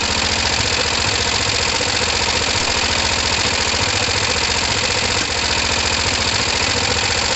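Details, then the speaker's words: Kawasaki ER-5, not yet warm: loud uneven idle with irregular pops and spits, carb spitting back; owner suspects fuel pump or filter not supplying enough fuel. "Oh look, we've got that weird spitting back."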